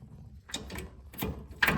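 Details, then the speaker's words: 2009 Scion xB manual transmission, engine bay partly stripped, gears shifted by hand: three or four crisp clicks and clunks as a working gear engages firmly, unlike the destroyed fifth gear, which gives only one click. "This is another gear that does work. You hear that engagement?"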